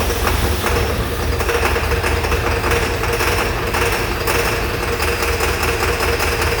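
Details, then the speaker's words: Ford 7.3 Powerstroke diesel after IPR valve replacement and reassembly: loud, uneven, lumpy clatter over a steady rumble; owner suspected injectors not firing, but injector test showed all firing, so an internal engine problem is suspected. "pretty rough. I'm wondering if some of the injectors aren't firing."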